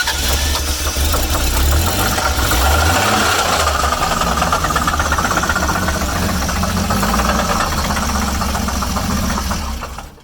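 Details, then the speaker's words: Friend's car on a road trip with really gnarly noises from the bottom end: rough-running engine with uneven deep knocking under a heavy rattle, definitely bottom end; car left behind, cause not confirmed. "So Kale's car has some really gnarly noises coming from the bottom end. I'll let you listen to that real quick."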